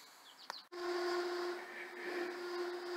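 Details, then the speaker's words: Steady high whine over room hum in a union hall: squealing heater blower, owner suggests the squirrel cage needs fixing; cause not confirmed. "You hear that annoying heater over there that we're going to have to live with this year, or fix the squirrel cage, I guess."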